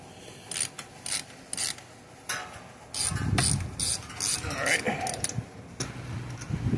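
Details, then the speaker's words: Old factory starter removed from a Briggs and Stratton Vanguard vertical-shaft riding mower engine, turned by hand: bursts of ratchety creaking and clicking, dragging inside; owner suspects heat-damaged, fallen or broken magnets, not confirmed. "Oh yeah, you can hear it. It's creaky and dragging inside. I'm guessing it's probably the magnets."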